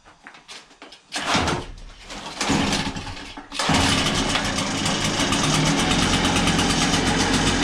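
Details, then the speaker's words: Backpack blower that had no power, after cleaning carbon out: a few pull-start tries, then fires into strong steady high-pitched two-stroke roar, running with full power. "so so as you can hear it runs pretty strong now after cleaning out the carbon"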